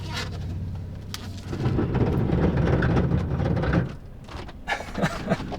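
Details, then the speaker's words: Mid-travel Tacoma with 35-inch mud-terrain tires, reversing into a driveway: low scraping rumble for a couple of seconds as the tire rubs the fender liner, cracking its mount. Tires clear fine going forward. "If I go that way, it's rubbing. Ooh, if I go that way, ooh, definitely rubbing. Yeah, the mud terrain pattern's getting a little aggressive with the fenders here."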